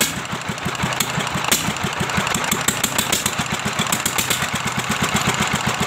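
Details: Restored old S1100 single-cylinder diesel retested without oil priming: steady even thumping beat with light clatter, no misses; running sound, somewhat rough gear set left unreplaced for now.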